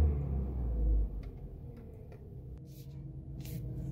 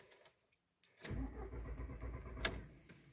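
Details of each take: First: VW Jetta A4/MK4 after fixing an intermittent no-start: low, steady, even idle hum with no misses, stumbles or surging; check engine light cleared on its own after about 10 starts. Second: VW Jetta A4/MK4 (classic): steady starter cranking for a couple of seconds that never catches and fades out; intermittent no-start after short errands, check engine light sometimes on; no fuel delivery, traced to a failed fuel pump relay.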